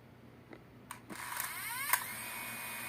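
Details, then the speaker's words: DJI Mini 2 drone, recently bought, motors started: a few clicks, then motors whine up in rising tones to a steady high hum; startup noise found strange, unsure if normal or a defect. "na hora que ele inicia ele faz um barulho"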